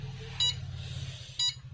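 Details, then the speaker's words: Luminous Shakti Charge 2250 inverter PCB, 24V double battery, on 24V DC bench supply: short high beeps about once a second over low hum; 5V regulator outputs 2.6V from 12.7V input, starving the micro; changing micro didn't help. "On किया। देखिए beep लगातार beep कर रहा है ये। तो इसका main fault क्या है देख लीजिए।"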